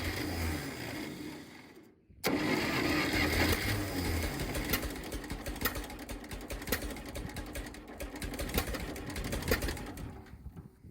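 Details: 1960s Massey Ferguson 204 forklift tractor, Continental gas engine, after a new 12 V coil: rough running with sharp irregular pops back through the carburetor and low power under load; cause later found to be two stuck valves.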